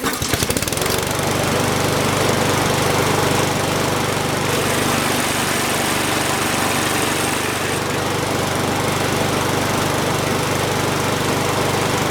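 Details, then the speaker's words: Lawn mower after fixing a bent/unbalanced blade, restarted after oil drained, smoking from oil in exhaust; steady even drone with no lumpy shake; vibration much reduced, running normally. "Okay, it's going to smoke because I got some oil in the exhaust, but the shake is way less."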